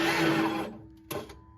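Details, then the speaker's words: Engine won't crank with a new, fully charged battery: steady high starter whine with no cranking rhythm, crank pulley spinning inside the serpentine belt; a seized belt-driven pulley locks the engine, not an internal mechanical failure. "and try and start it uh the engine will not crank over you can you can hear the starter crank the try to crank the engine over you can hear that that whining noise from the starter"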